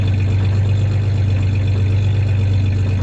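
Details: 1993 Ford Ranger 3.0 V6 idling with a slight misfire and a brief rev; steady low drone with an uneven, loping exhaust beat; the clanking is tie-downs in the bed, not the misfire.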